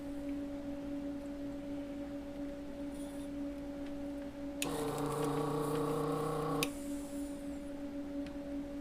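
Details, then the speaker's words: Desoldering vacuum station, just ready after warm-up, used while replacing the clean volume pot on a Peavey Studio Pro 112 amp: steady hum, then a strained, strangled pump tone for about two seconds as if the nozzle is blocked; it sucks better on the retry. "And it sounds like it's blocked."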